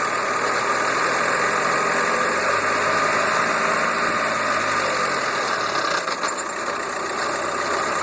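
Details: VW Golf Mk4 BEW idling in fifth gear with front wheels in the air: drivetrain hum, then rough harsh growl as revs fall after revving; owner suspects bad wheel bearing, unconfirmed.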